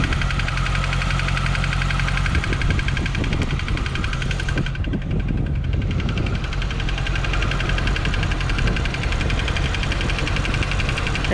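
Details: 2015 C7 Corvette Z51, six-speed manual, Edelbrock supercharged, 80,000 miles, idling: light quick ticking keeping pace with idle over the V8 rumble; owner suspects AFM lifter failure on cylinder 7, planning new cams, pushrods, lifters and AFM delete.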